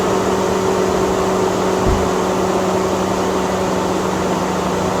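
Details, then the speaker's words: Chevy/GMC radiator fan, before the temperature sensor replacement and battery reset that quieted it: loud, steady rushing whoosh with a constant hum, flat at idle, never cycling off; fan stuck running on high speed. "now let's do the test I'm gonna cut it on or you're gonna see if we hear this radiator fan going crazy when I started ready so let me Crank It Up"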